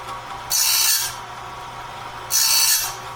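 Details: Clarke heavy-duty sawmill blade sharpener on its first run, doing the first sharpening of a 2-inch-wide, 223-inch bandsaw blade with a light touch; short, even hissing grind bursts about every two seconds, one per tooth, with quiet motor hum between, a normal grind.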